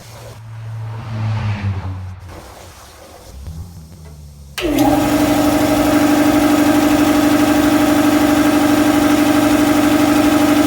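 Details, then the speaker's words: Shop air compressor after belt tension fix (previously sluggish startup from belt slip), cuts in sharply and settles into steady even drone with no slipping squeal or labouring; normal compressor run. "all right well yard that sounded good you know and solid and didn't sound like it was laboring or anything"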